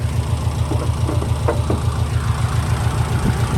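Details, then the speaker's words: 2004 Subaru Impreza 2.5RS with an SRS stainless exhaust and new timing belt, recorded under the hood at operating temperature. Even low idle thrum pulsing about three and a half times a second, with the cooling fan cycling and whooshing. Normal warm idle with cooling fan cycling. "So it's been running, it's at temperature, but you can hear the fan cycling."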